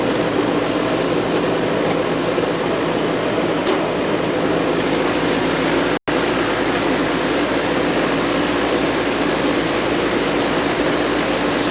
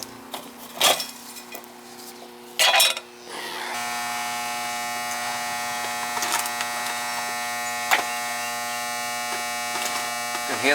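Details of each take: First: Goodman R22 AC condensing unit that was not running outside, after repair and thermostat switched on: smooth constant hum and fan whoosh with no chatter or buzzing; unit running normally and cooling. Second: Goodman R22 AC condensing unit not running: loud steady electrical buzz from a cooked, blackened contactor chattering instead of pulling in; contactor to be replaced.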